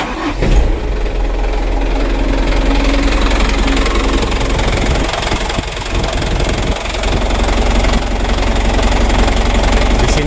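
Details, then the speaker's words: Second-hand Mitsubishi Canter diesel truck at idle: harsh, uneven clatter over a low rumble, quieter from the right side. Mechanic suspects the injection pump, either its timer or bearing; not confirmed. "lalu di sini kita ada masalah teman-teman ya suara mesinnya itu beda Maksud saya itu beda Itu terdengar kasar"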